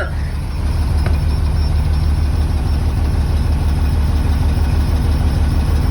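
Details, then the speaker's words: 2003 Blue Bird 3800 school bus with DT466E diesel, started at about 11°F, not plugged in, after ether and jumper cables: deep, steady rumble at about three pulses a second, no knocks or misses, building air; normal cold idle. "well there she goes now let's see if she builds"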